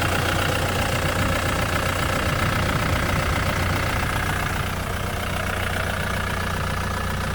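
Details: Ford Mondeo 3 engine at idle with a rapid, regular knock about four beats a second; owner feared the worst but believes a failed valve caused it, supply tube plugged; cause suspected, not confirmed.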